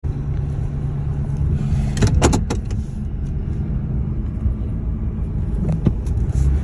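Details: 2003 Ford F-150 while driving: a steady low drone holds under the road noise without changing pitch; persistent humming noise, cause not identified and could be a number of things.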